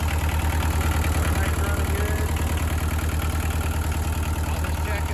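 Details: Bobcat 743 diesel, first start after an oil, hydraulic, fuel and air service with the fuel system re-primed: a firm, even idle pulsing about three times a second, no misses or knocks. Normal idle.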